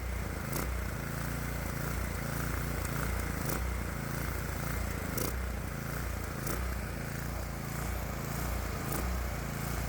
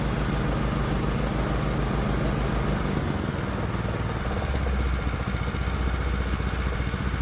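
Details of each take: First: Predator 212 small engine with aftermarket fully adjustable carburetor, mixture set correctly: speed rises and sags in a slow repeating surge instead of holding steady; governor hunting because the governor linkage rod is slightly too long. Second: Predator 212 Hemi engine on a test bench after an adjustable carburetor swap with new throttle linkage: low, even putter holding steady with no hunting or misses, a stable idle.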